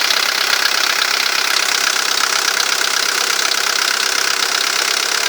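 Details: VW Golf III 1.9 TD (AAZ) diesel at idle: quick, light metallic knocking/ticking at about 220 per minute over the idle; source cannot be pinned down by ear.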